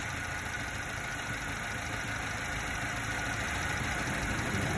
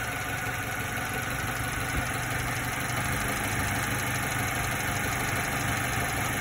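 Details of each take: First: 90s Subaru Sambar KS4 carbureted engine at warm idle while turning the idle mixture screw: idle sags and roughens briefly, bogging when the screw is turned one step too far; mixture then set at half a turn. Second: 90s Subaru Sambar KS4 carbureted engine at warm idle, speed bumped up slightly with lights on after a slight shake; steady even idle, very little rpm change with lights off after tuning.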